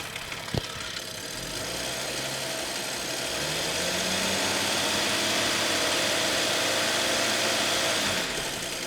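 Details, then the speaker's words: Audi S6 that sat for months, after a highway drive, mic at the front timing cover with light revs: fast metallic rattle rising with revs. Present faintly before, now much louder. Engine rattle, cause uncertain. "Also, ich würde sagen, das kommt von hier vorne. Kommt irgendwo hier vorne her. Ich weiß nicht, ob ihr das hören könnt. Ich mach's mal hier ans Mikrofon. Hier vorne am Steuergehäuse."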